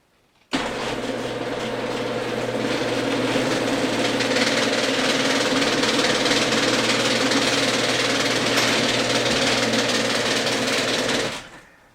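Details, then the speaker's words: 32+-year-old Genie screw-drive garage door opener opening: steady motor hum, fast even clicking about four a second from about halfway to the end, not heard when closing; owner suspects worn or stripped carriage. "I think the noise started when is halfway and suddenly you have some tuck tuck tuck tuck tucks like that"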